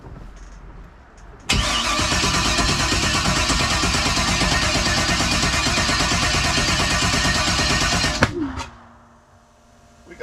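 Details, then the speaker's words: New LS 383 engine in Deathwish on break-in oil, first start attempt: strong, steady cranking for about seven seconds with an even beat that never catches. Crank no start; distributor suspected 180 degrees out, and it seems to be getting fuel. "something that ain't right dizzy 180 out wrong"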